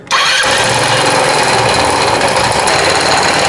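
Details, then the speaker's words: 2016 Italika WS-150 motorcycle, oil at minimum level: harsh clattery run with hard metallic rattle at idle; loud engine knock, suspected crankshaft bearing or camshaft, cause unconfirmed. "no habrán escuchado este motor soy muy muy fuerte la verdad que no me habían traído un motor que sonara tan duro"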